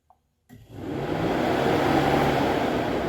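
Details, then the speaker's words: C5 Corvette cooling fans commanded on via Launch CRP919EBT scan tool bidirectional controls, listened from front of car; steady even whooshing rush spins up within a second, no rattle or scraping; both fans confirmed working normally. "And the highest speed is fan relays 1, 2, and 3. So now we know 100% for sure that both of our fans are working."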